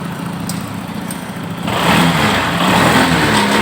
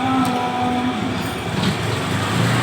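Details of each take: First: Honda PCX that had no power at full throttle: after a scanner check, the engine picks up cleanly on each throttle blip and settles back smoothly, now running normally. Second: Honda PCX scooter revs up but sounds flat and labored, bogging at wide throttle while gentle throttle is fine; fuel pressure and spark checked good.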